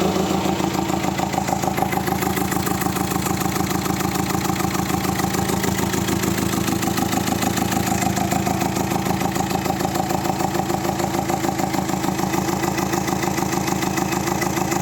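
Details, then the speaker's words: 2017 Citroën C3 with a failed engine under repair, after timing work with timing synchronized: starts instantly but idles unevenly, loping about three pulses a second with coarse ticking; all four cylinders seem to fire; owner suspects timing or ignition problem. "voilà, comme vous avez pu l'entendre, le bruit est pas ouf. Mais elle démarre au quart de tour et elle tourne pas très rond."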